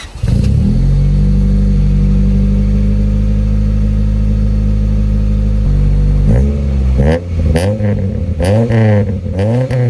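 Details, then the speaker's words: Honda Civic EK hatch just after swapping to a Y8 exhaust manifold (header) with new Fel-Pro gaskets, O2 sensor refitted: long held rev then sharp blips, coarse raspy exhaust note as expected; smoke from the new header. "Just like I expected, it sounds a little raspy."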